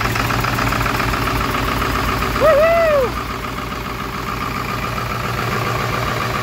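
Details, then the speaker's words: 7.3L Powerstroke turbo diesel (Navistar T444E), 372,000 miles, cold-started after about two years crated; steady even idle clatter with a short rising-falling whistle, exhaust back pressure valve working; healthy normal cold idle. "ll be uh kind of a cold start um this engine hasn't been run in about two years"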